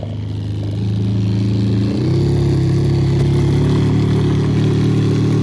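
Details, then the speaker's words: 2014 Toyota Sienna: loud, rough droning hum when the heater fan is turned on, stepping up in pitch with fan speed; bad blower motor with excessive shaft play, possibly debris in the fins. "this noise usually caused by a bad blower motor or something got stuck in the fins and now it's not working"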